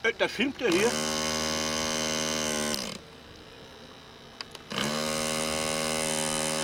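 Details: Model aircraft glow engine at a flying meet: steady high-pitched scream that cuts out abruptly, then catches again two seconds later; glow plug found broken, won't keep it running.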